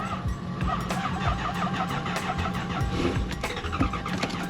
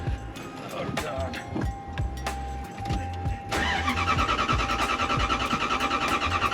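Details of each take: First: Lexus LS400 with a failed fuel pump relay, so no fuel is delivered; the engine cranks and catches in ragged, uneven bursts that die away, firing only on starting fluid, with spark confirmed. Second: Lexus LS400 starting after a new fuel pump with a generic filter was fitted: the pump is surprisingly quiet, then a short crank and the engine catches promptly to a steady, even idle. Normal start.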